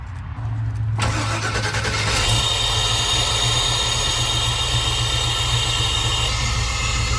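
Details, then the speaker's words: 3hp mini starter just fitted to the small-block Chevy V8 in an ambulance after the old starter sounded sickly following an EFI install; quick healthy crank and the V8 catches at once, then settles into a strong steady run; normal starting. "And as you can hear, it started up just fine, perfectly, and it sounded great. It sounded a lot better than what it was."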